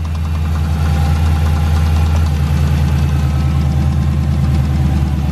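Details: Dodge Charger SRT8 6.1 idling: deep loud idle with rough uneven knock over low rumble; owner unsure whether top or bottom end, cause unknown.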